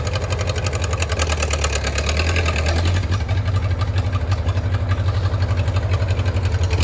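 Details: 1934 Allis Chalmers Model M crawler, 300 cubic inch four-cylinder, 85 years old, long unused; loud open-exhaust chuffing about three beats a second, steady and even; runs pretty good without muffler, only the right track clutch apparently not releasing.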